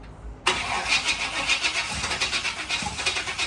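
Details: Newly bought C4 Corvette, battery charger connected: steady fast starter churn with no catch and no rise in revs; cranks but won't fire.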